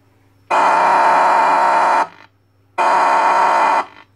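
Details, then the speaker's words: CB radio with a tampered audio section. Even with the audio output stage isolated, two loud bursts of harsh steady howl come from the audio amplifier self-oscillating; disconnected wires remain to be traced. "Ho isolato il finale di bassa frequenza finale audio ma nonostante ciò si sente questa auto oscillazione che fa un rumore infernale"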